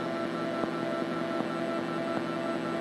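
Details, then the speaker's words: Mortal Kombat 2 arcade sound board on power-up: only a steady electrical hum and faint processing ticks, no test tone or sounds; no audio output, board faulty. "but you heard no test tone and there's no sounds this is all you hear is a general hum and background activity of processing"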